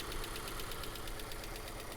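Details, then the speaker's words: Mazda 3 with Skyactiv-G engine at idle, low on fuel, oil present: smooth idle with light, quick top-end ticking about eight a second; cause undetermined, possibly clearing with use. "engine sounds good very much like a Mazda here you go there's a little tick tick tick tick tick a tickety tick tick from like right there"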